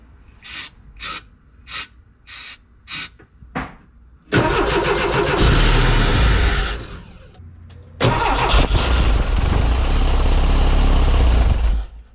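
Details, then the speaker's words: Porsche 914 2.0 race car that sat 10 years, after new spark plugs and an oil change: about five cranking bursts, then it fires and runs only on starting fluid, dies and fires again. Fuel delivery fault; fuel pump or injectors suspected. "see the car does start with the starter fluid so we know it's a few issue"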